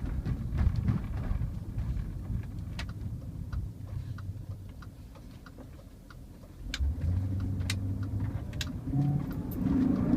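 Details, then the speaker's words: 2000 BMW M5 (E39), 177,000 miles, warm engine, factory exhaust, accelerating on the road: deep muffled V8 rumble swelling twice, little exhaust noise, scattered cabin ticks and rattles; normal engine revving. "engine's warm so we can do a little exhaust I mean it's a factory exhaust system everybody wants to hear what it sounds like it just sounds like a V8 there's not a lot of exhaust noise"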